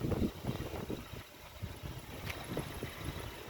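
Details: 2008 Honda Jazz 1.4 i-DSI SE, 78k miles, idling: small petrol engine ticking over steadily, even low thrum, no knocks or misses, outdoor background noise; normal idle.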